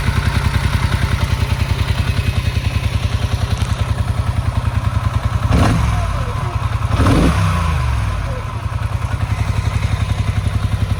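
Uneven low thumping idle at about three and a half beats a second, stumbling and blipped twice to keep running; rough idle, cause unclear.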